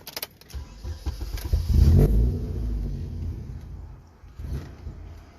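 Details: 2007 Chevy Cobalt SS cranking with no start after progressive high-rpm missing, sputtering and stalling, no check engine light or codes, MAF unplugged made no difference: low uneven churning rumble that never catches; crank no start.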